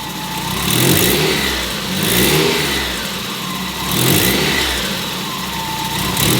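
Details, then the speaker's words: Warm Mazda Miata four-cylinder after 30K-mile service with new spark plugs, ignition wires and fuel filter, checking low-end stumble: smooth repeated free-revving blips rising and falling cleanly with no stumble or popping; seems a little better. "seems a little bit better but regardless I have satisfaction of knowing I have new plugs and wires in the car"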